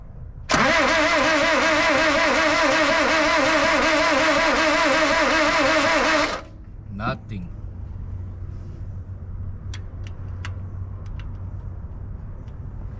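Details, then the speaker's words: 1976 Ford Courier: cranks steadily about six seconds with an even slow beat and no catch, after timing adjustment; compression heard and spark confirmed at the plug, but no carburetor fitted, so no fuel supply. "getting sparked to the spark plug it's just not wanting to fire off I mean it don't help that I don't have a car breaker on here"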